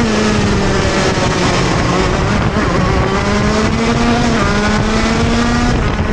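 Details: TM Racing KZ-R1 two-stroke go-kart engine coming out of corners: buzzy drone holds a low, flat pitch that sags instead of climbing cleanly, choking and bogging under acceleration.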